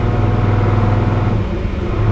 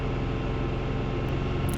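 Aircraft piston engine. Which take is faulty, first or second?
first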